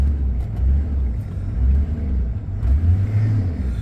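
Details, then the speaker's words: Chevy tire-service truck with PTO crane and compressor, not started for a few days in ice-cold weather: started right up, deep steady rumble holding even without misses or knocks; truck sounds really good. Normal idle. "oh yeah started right up truck I know whenever I started it the other day it seemed to run great"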